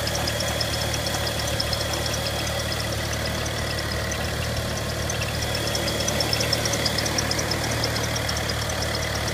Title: Ticking noise from the engine bay bmw n55 335i